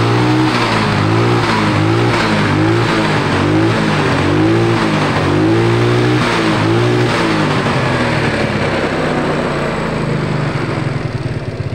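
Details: Yamaha Mio scooter after service, cleaned carburetor with vacuum fix using a safety pin, plug and air filter done: engine blips up and settles repeatedly, picking up cleanly with no bog or stumble; normal revving.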